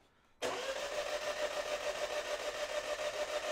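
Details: Even starter cranking at about three beats a second with a steady whir, but the engine never fires. The car is a 2020 Citroen DS3 1.2 PureTech turbo (120 hp, code HNP) after a timing belt job, with belt fragments in the oil sump. It cranks without starting, though it sounds fine when it briefly runs.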